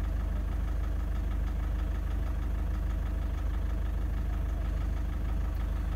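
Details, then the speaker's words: Toyota Prado 150 1KD diesel warming up, rough idle: sharp regular knock about three times a second over idle clatter; faulty injector diagnosed, possible fuel contamination, cracked pistons risk. "Look at it go, 4.6. 100% injector issue, right? 100%. There's no doubt about it in my mind."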